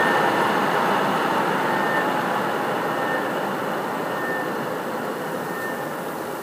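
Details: PS4 CUH-1216A (CUH-1200 C-chassis) running Witcher 3 as a digital game, placed horizontally on a media center 15 cm from the back wall, peaking around 63 dB: loud steady rushing whoosh with a faint high tone as the cooling fan runs noisily under load.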